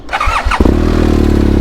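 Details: BMW R1200 GS Adventure after a new battery was fitted following a failure to start; the warning light came on, so the battery is probably not the cause. Short starter whir, then the twin catches and settles into an even, steady idle; starts cleanly.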